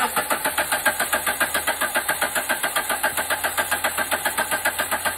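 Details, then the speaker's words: Engine cranked on the starter with the fuel pump pulled for relative compression testing on a cheap scope: very even, regular cranking pulses near four a second with no uneven beats; compression sounds balanced. "listen to the Cadence of the engine rotation and I'll use the Run Stop function here in order to capture the waveform to freeze the waveform is what I mean by that"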